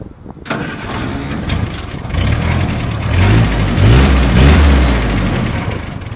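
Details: Willys Jeep vintage engine after its ignition coil, switch and starter wiring were hooked up: a brief crank, then it catches and settles into a steady, even, low idle with a slight rev. Starts and runs fine.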